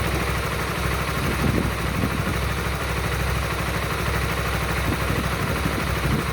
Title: Weird engine sound Honda Supra GTR 150 please send help